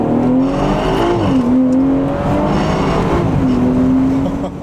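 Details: BMW under acceleration: rough rubbing grind as parking brake cables hang down and touch the spinning driveshaft after the brittle plastic stock cable retainer clip broke; fixed by replacing the clip; parking brake cables rubbing driveshaft.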